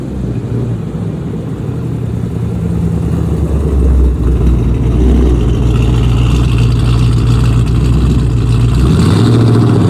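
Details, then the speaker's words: Dodge Charger Scat Pack 392 V8 with cam, new 1050X injectors and Boost-A-Pump, after roughly 90 seconds of cold-start surging: deep, heavy idle with a lumpy, loping chop that holds steady; normal cammed idle. "Alright, there we go, y'all. So it's finally idling the way it needs to. It took about almost like a minute 30, but yeah, that's pretty much what it sounds like."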